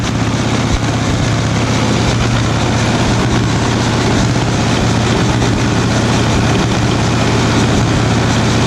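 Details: 1936 Caterpillar RD7, first start after its seized, water-damaged pony starting engine was rebuilt: deep, steady diesel thrum with an even low beat and no knocks or misses; healthy old diesel idling cleanly.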